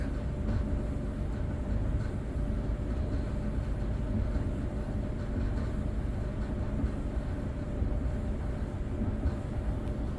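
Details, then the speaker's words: Whirlpool dryer running after replacing a bent, rubbing blower wheel: steady low rumble with no rubbing or scraping; dryer runs normally after repair. "Dryer is on now, it's running."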